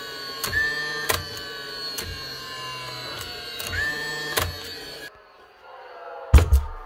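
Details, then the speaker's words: Dewalt DCN660 second-fix angled cordless nail gun from 2021, test fire: motor starts in bump mode, so not the switch; motor hum with sharp single clicks about every second and no firing thump; runs but nailer does not fire. "This one, she's actually starting the motor on bump mode, so it's not the switch, but she has clicking if we go"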